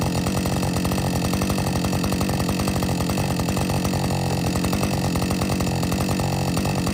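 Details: Warm Husqvarna 562XP chainsaw after dealer software reflash for dying when hot; fast, even two-stroke idle with no stumbling or surging over several seconds. Normal idle.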